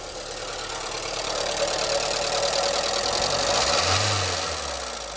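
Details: 1989 VW Fox abandoned for years, first runs after fuel system rebuild with known fuel leaks: fast light ticking about four per second over an uneven, stumbling idle; oil on dipstick, judged just a noisy valve train (owner hoped possibly mechanical injectors).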